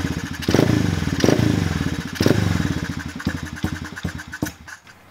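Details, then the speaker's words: Dirt/pit bike won't hold an idle with the choke open or closed: uneven popping surges with each throttle blip, then it sags, stumbles and dies; fault suspected in the carburetor, possibly the idle/throttle screw adjustment. "but it seems like it's not even holding an idol with the choke open or closed so we know that's issues probably coming somewhere from the carburetor"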